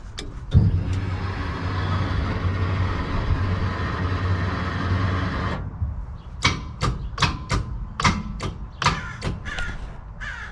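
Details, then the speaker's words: Freshly rebuilt Maliboom engine, dry, spun over with the coil packs unplugged to build oil pressure: sharp single clicks, about eight in four seconds, with no cranking; the starter clicks but won't turn the engine, possibly stuck from sitting. "so let me see why we are just why we are just clicking and not starting so yeah well not doing that great so far"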